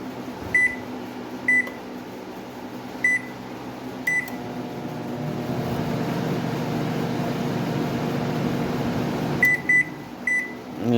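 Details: Microwave after repair with transformer swapped to protect the replaced magnetron, drawing about 16 amps versus 20–23 before: keypad beeps, smooth even hum for several seconds, more beeps; running normally.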